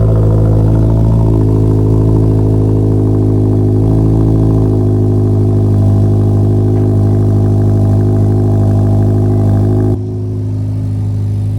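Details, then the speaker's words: 2022+ Subaru WRX after installing an aftermarket resonated mid pipe with Y-pipe completing a full cat-back: steady rumbling idle with a raspy puffing edge, exhaust leak, audible at startup and idle, less noticeable once moving. "As you guys heard, there is a leak on the startup, especially. But, once you get to a idle, you can't really hear it as much, but or actually no, you I at idle and startup, you could hear it."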